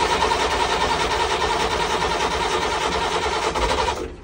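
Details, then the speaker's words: Perkins marine diesel that died on charter from a failed low-pressure lift pump, now replaced. After bleeding the fuel system and cracking the injectors, the starter cranks at a busy rhythm and the engine chugs, pops and fires; starts and sounds good. "there we go it's almost there little pop there she is nice one beautiful she sounds real good"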